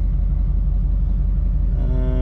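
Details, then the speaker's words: 2007 GMC Sierra LBZ Duramax diesel after a turbo replacement for no boost; the turbo now responds, with boost confirmed on manifold air pressure data; even, deep diesel rumble with steady pulses, then a clean turbo whistle rising at the end, healthy. "I mean, this thing's definitely got boost. I can feel it. I can feel the turbo respond. I can hear it respond. So we're good."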